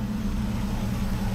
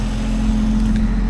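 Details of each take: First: Rover P4 with electronic ignition, running but not smooth, only slightly better after one culprit changed: uneven, lumpy idle with a low throb and occasional stumble; ignition misfire blamed on old Bakelite spark plug caps with poor contact. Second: 1961 Rover P4 after replacing old Bakelite acorn plug caps with P6 rubber boots: even low engine drone at steady pitch, no stumbles or popping; normal running, smooth exhaust note.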